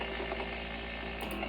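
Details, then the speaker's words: Wi-Fi smart light switch heard on a radio receiver with the lights off: a constant raspy buzz with a comb of steady tones and no change in level. Strong RF interference even when the switch is off. "that's with the light off and so even when the lights off makes a tremendous amount of noise not getting around that anyway"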